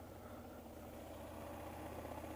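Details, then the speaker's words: 2004 Hyosung GT250 Comet after carb cleaning and new fuel filter: quiet even idle putter, no misses, knocks or surging; operating properly, though owner wants an oil change to smooth it further. "seems to be operating properly but I definitely should give it an oil change sooner than later to really see if I can get the get it running a little bit smoother with that"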